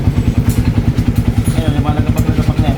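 A heavy, rapid knock beats evenly through the running engine, several thumps a second locked to rpm; that is a connecting rod knock.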